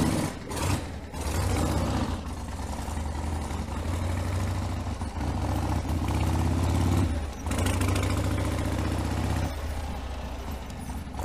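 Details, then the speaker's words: 1979 Harley-Davidson Ironhead Sportster 1000cc, first start since being ridden home about two weeks earlier: a lumpy V-twin idle with a strong low thump and a few throttle blips. It pulls cleanly, a normal healthy idle. "the first time I've started it I think that sounds brilliant so we'll just take it for a little ride around the block"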